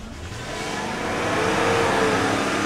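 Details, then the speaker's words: Car started just after reassembly, no check engine light: with no pedal input the engine climbs from idle to a higher held rev and barely settles, an unexplained idle surge. "I'm not touching anything [Music] I'm not doing anything my foot is not even on the pedal"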